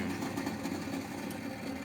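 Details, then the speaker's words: Postwar Lionel 364 lumber loader motor: rough, uneven, stuttering growl, louder than usual, with the belt hung up on the rollers. Original factory grease has hardened to a clay-like coating after seven decades; clean and relube. "You can hear the motor growling louder"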